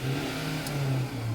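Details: Ford Ranger 2.2, after fixing a crank-no-start (no fuel to injectors, PCM trouble code) and with no check engine light: engine picks up cleanly and holds a steady, even note with no knocks or misses; healthy rev.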